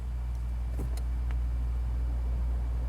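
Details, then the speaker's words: 2nd-generation Toyota Prius with an intermittent no-blower fault (uses a blower motor controller, not a resistor), blower working at this moment; steady even low hum with no squeal, ticking or grinding, normal blower motor operation. "See, now it's decided to work. But this Prius is a strange one when it comes to its blower motor."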